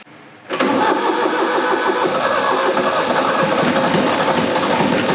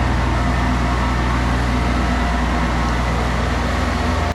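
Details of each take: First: 40-year-old Kubota F2000 front-mount mower diesel, started with air vent plug open to bleed fuel after fuel filter change: churns unevenly about three times a second for several seconds before settling; slow start from air in fuel system. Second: 40-year-old Kubota F2000 front-mount mower, three-cylinder diesel, after restoration, mowing thick wet grass without bogging: steady low clattery beat at even speed, no misses or knocks until shutoff. Normal diesel running.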